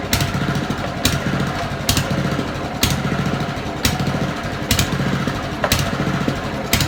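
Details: Old Honda mower idling before carburettor cleaning: idle hunts up and down about once a second, intermittently cutting out; dirt in idle jet and float chamber causes lean surging.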